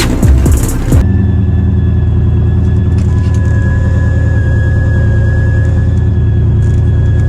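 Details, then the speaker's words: Cammed SVT Cobra Terminator with Whipple supercharger, while driving: deep engine rumble with a thin steady high whine on top; the 90 mm snub idler pulley was loose with play. "what the hell is that noise is that the whipple what's going on like why can't i catch a break that was the snub idler pulley and it was loose had a little bit of play"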